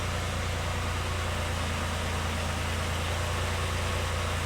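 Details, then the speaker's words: 2010 Dodge Ram 3.7 with its second replacement engine, fitted after a broken valve seat: a warm idle with a steady, deep, even hum and no miss or knock. It runs well with no misfire and no check engine light. "all right engine looks like it's running pretty good doesn't seem to have a misfire now"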